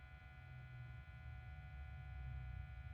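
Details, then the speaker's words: 1997 NEC Versa 6010H laptop floppy drive trying to read a disk; faint steady motor hum with no seek clicks; broken or stretched belt inside the floppy drive suspected; drive motor spinning without reading the disk. "so to me it sounds like uh sounds like the most motor's just spinning so it probably has a broken belt or stretched out belt inside of that floppy"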